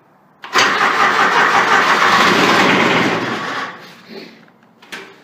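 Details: Grasshopper 721D diesel mower, unused for one to two weeks, glow plugs heated by holding the key about 20 seconds: starter churns about three turns a second for roughly three seconds, then winds down; cranks but won't start.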